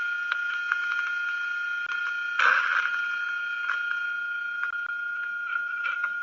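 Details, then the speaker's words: Hydraulic pump cavitating, recorded with ultrasound contact probe at the pump's suction inlet tube: irregular crackling pops and rough bursts over a steady hiss-tone; cavitation is loud but may be masked in noisy plant areas. "you know if you've got a pump that's cavitating you can pretty much hear it it's it's pretty loud however if it is in a noisy part of the plant or something you may not hear it directly"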